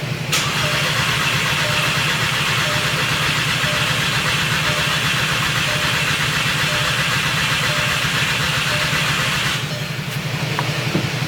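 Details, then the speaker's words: VW MK6 GTI with a replacement engine, ECUs swapped and jumpered from a Silverado: quick steady cranking about four per second for nine seconds, never firing, no security light; immobilizer suspected, not confirmed. "I'm still getting the crank no start but it's like no security light on Right."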